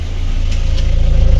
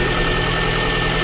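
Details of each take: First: Lada Kalina 1.6 (used replacement engine) after full rebuild for misfire, running on gas: steady even exhaust pulses, no skips; normal exhaust note, all cylinders firing. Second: Lada Kalina 1.6 used swapped engine, cold idle, coolant boiling and missing; lumpy shaking beat as a cylinder drops out; diagnostics show cylinder 2 misfire, likely no compression there.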